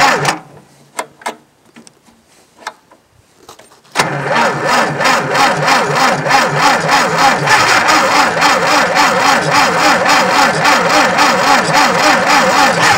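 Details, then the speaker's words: Tractor cranking on a nearly dead battery, with plugs the owner believes fouled again: sluggish, labored cranking at about three and a half turns per second for nine seconds without firing. "That battery's pretty much dead. As you can hear, she's just barely rolling."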